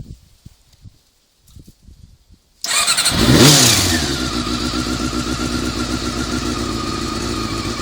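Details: Honda CBR400RR after riding at Ebisu Circuit: fires up, revs briefly, settles to idle with a faint mechanical whir over it; abnormal engine noise, owner suspects the cam gear train, unconfirmed.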